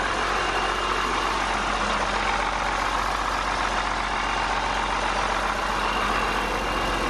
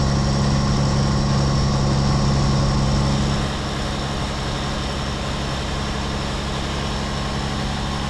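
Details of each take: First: 8.3 Cummins swapped from a Ford F800 dump truck into a Case IH 2366 combine, first start after reassembly following a thrown rod, open straight pipe: steady even diesel idle, loud raw exhaust, no knocking; choppy at first, then smoothed out, smoke clearing. Normal idle. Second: Rebuilt 8.3 Cummins diesel in a Case IH 2366 combine on first start, straight pipe: loud, uneven idle for first seconds, then settles to a steadier, smoother beat.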